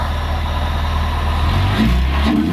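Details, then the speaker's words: Warmed-up Toyota van after a weak new fuel pump, which was giving almost no pressure, was found to cause poor running and replaced: smooth idle, clean pickup when revved with no hesitation or surging; normal warm rev. "Sounds fucking alright for a van."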